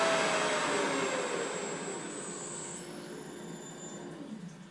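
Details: Mikini 1610L mill after replacing the BLDC motor and loose-pulley drive with an AC inverter-duty motor and Hitachi sensorless vector VFD, cutting aluminum: steady even spindle whine with clean cutting hiss fading as the cut ends; normal spindle cutting.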